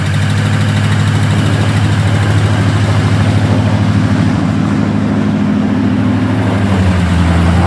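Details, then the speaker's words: LS V8 truck with an aftermarket cam: loud, heavy idle with an unsteady lumpy beat and clattery top end. Suspected seized lifter in its bore, likely from incorrect lifters installed with the cam. "Truck sounds like shit. What the f***'s going on? There's some fuckery going on, and we're going to find out what the f*** it is."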